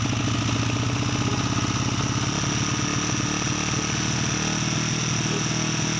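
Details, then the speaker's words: 1989 Honda XR100 dirt bike, a junk bike awaiting rebuild, running after a new carburetor and throttle cable replaced seized originals. It had been test-fired on starter fluid first. Steady, even single-cylinder putter, no knocks or stumbles: normal running. "just put the new carburetor on and put the new throttle cable on because both of those were seized up and no good that's a good sign"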